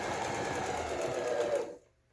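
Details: Domestic sewing machine after repair of a broken hook drive and faulty pattern dial: smooth quick even whirr under two seconds, stops cleanly, no knocking or grinding; runs freely.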